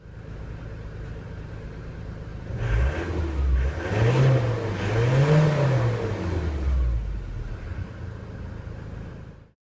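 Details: Ford Transit 2.4 TDDI turbo diesel after glow plug replacement: it settles at idle, takes a few smooth throttle blips and drops back cleanly, running evenly with no knock or miss.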